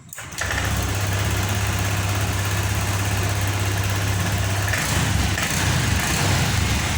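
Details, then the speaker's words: Honda Vario 125 FI after fixing the clogged, dirty injector, fuel pump pressure steady at 40: engine catches cleanly, settles into steady idle and picks up smoothly when blipped, no stumbling or popping; healthy. "Yang di awal tadi kita tarik handle gas secara spontan, motor ini tidak mau naik gasnya. Sekarang sudah sembuh teman-teman."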